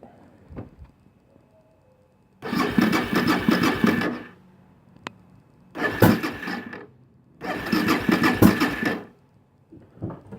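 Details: Suzuki DR650, choke on, petcock on reserve: three bursts of even starter cranking but engine never catches; cranks fine, won't fire; crank no start.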